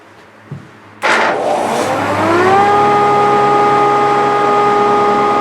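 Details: Grizzly G0458 18in open-arm drum sander, reassembled after breaking down: motor clicks on, spins up with rising hum, settles into steady even whine with light airy blower rush; runs normally.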